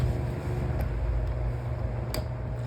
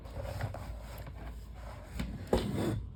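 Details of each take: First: Household fan after its damaged blade was replaced: a steady low hum, running evenly in balance with no vibration, wobble or rattle. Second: Electric fan running without its cages at speeds one and two: a low steady hum with an uneven shaking rattle as the warped blade, not seated in the motor-shaft notches, wobbles on the shaft.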